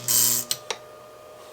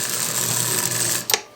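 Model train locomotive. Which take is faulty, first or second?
second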